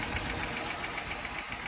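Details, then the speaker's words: Jeep Grand Cherokee with plastic intake manifold, warm idle after the cold-start cycle: light, sharp ticking at idle speed; owner suspects an exhaust manifold or muffler exhaust leak after bottoming out, while a shop blamed the harmonic balancer. "You see, now it's cool. Startup is over. It's idling down. You can hear the tick."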